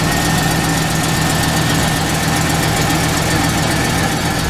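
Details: Truck engine idling right after oil change with Mobil 1, about 45 psi oil pressure, no leaks: steady even idle, smooth low hum, no knocks or misses, rain hiss in background; running healthy.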